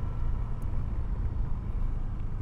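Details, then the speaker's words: Honda PCX 160 scooter riding over rough road after warranty replacement of the stiff, clunking rear shock absorbers; steady road and engine rumble, no more knocks or thumps from the rear suspension. "pokoknya suara-suara jedag jedug itu jeruk ini pesawat jalan rusak itu itu udah nggak ada sama sekali"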